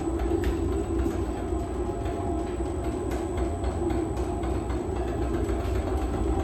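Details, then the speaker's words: Empty honey extractor on a new wheeled stand, brakes off, running at half speed; even low rumble with steady hum and faint rattly vibration, no knocks or grinding; smooth running. "Okay, we'll turn it on halfway for the moment. That vibration you can hear is just that. That's what's making the noise at the moment."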